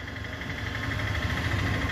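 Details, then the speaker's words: LG washing machine after gearbox replacement, with the belt refitted, running while filling with water; steady low hum and even quiet whirr with no knocking or grinding; the earlier loud noise is gone: normal operation. "आवाज़ एकदम गायब हो चुकी है"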